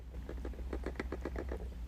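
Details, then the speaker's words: Nikon Z 50-250mm lens shaken by hand: quick light clicks about eight a second sounding like a loose element, actually the free-moving vibration reduction system, which is normal. "you might think there's something wrong with it sounds like a loose element doesn't it but actually it's just the vibration reduction system perfectly normal"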